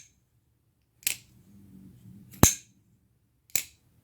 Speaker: the sound of that lock up gives me a knife nerd never mind i'm not going to say that